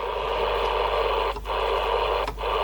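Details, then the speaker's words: CB radio with channel 88 button: hissy audio cuts out briefly twice then returns while switching; intermittent crackly output, owner suspects switches needing contact cleaning. "display is a bit Diggy or is it just a switch switching it wh now I've lost everything"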